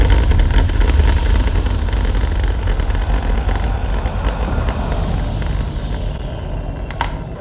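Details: Bowers & Wilkins subwoofer bought in 1999 gives a deep booming rumble with a buzzy rattle on the strongest low-frequency hits.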